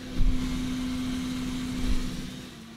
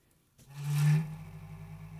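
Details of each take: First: Computer power supply fan on a noisy unit brought in for repair, powered from a bench supply: brief pulsing surge at start-up, then a steady low hum of smooth airflow, just air noise; normal fan running. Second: Computer power supply fan, desk-powered by shorting the green lead to black: a deep drone swells at power-up, peaks, then settles into a low old-fridge hum. The case vibrates the desk, and pressing the fan's plastic case worsens it. Fan bearings are very dry.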